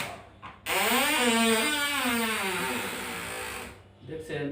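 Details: Refrigerator door: loud, drawn-out groaning creak wavering in pitch for about three seconds as the door moves; the door is jammed and hard to open, from a rusted, dirt-packed hinge pin, before repair.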